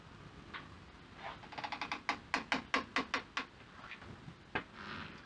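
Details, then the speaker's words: 1966 Triumph Spitfire 4 Mk II rolling slowly: sharp clicks, two or three a second, from the left rear wheel; owner suspects outer wheel bearing under load, since no noise when jacked up and spun; clicking while moving. "okay so that sounds coming from this left rear wheel i'm pretty sure it's the wheel bearing because when i inject it up earlier and spun the wheel i couldn't get the sound again"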